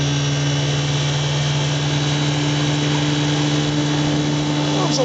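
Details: 1958 Johnson CD-15 5.5 hp outboard pushing a 12 ft boat at about 11 mph with one person aboard; a steady, even buzzy drone with no misses or knocks. Quiet, smooth, normal running under load.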